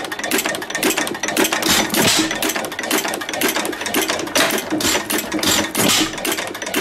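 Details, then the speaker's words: 2.5 hp hit-and-miss stationary engine running well: sharp clicks in uneven runs of a couple per second, each click the governor-tripped mechanism hitting the bar as it fires; normal hit-and-miss operation. "So every time you hear that click, click, click, that's when that thing's hitting that bar and firing."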